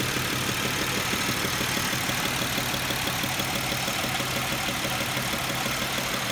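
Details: 2007 Pontiac Grand Prix petrol engine at warm idle: a steady, light knock, about three beats a second, under hissy noise; it is silent when cold and knocks only once warmed up.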